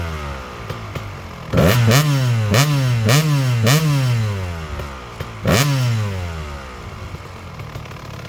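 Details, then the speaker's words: Freshly restored Kawasaki KX250 two-stroke with sleeved cylinder, first run after start-up: about five crisp, quick throttle blips rising and falling, then settling to idle; snappy and responsive; normal idle and revving. ">> Guys, this thing sounds vile. >> [laughter] >> I don't think I'm qualified to ride this thing. It really sounds awesome. Man, it sounds like it's really snappy, too."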